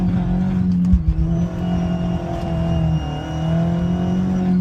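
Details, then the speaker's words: 2001 Audi A4 B5 turbo, warmed up, after boost-leak fix holding boost: thin high dentist-Dremel whistle above the engine drone under boost, steady with revs; owner believes the turbo is dying. "It's got the old dentist Dremel noise. If you know anything about turbo cars or turbos, that is the sign of a dead turbo."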